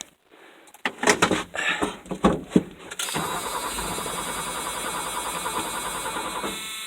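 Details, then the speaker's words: 1984 Ford F250 after cleaning a badly rusted battery ground cable and clamp at the quick disconnect: a few strong starter turns, then the engine catches within seconds and settles to a steady, even idle; normal cranking and start. "hey it worked now the question is uh if i can get it to start"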